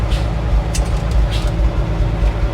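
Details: Circa-1952 REO dump truck with straight-six, sitting over 22 years, revived and running: short sharp air hisses in bursts over a deep engine rumble; air brakes charged and releasing normally.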